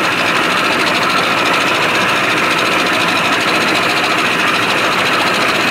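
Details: 1987 Johnson 70 hp outboard, shift linkage adjusted and new thermostat, cold start in neutral without starting lever: fast, even buzzing two-stroke idle, no misses or surging. Normal idle.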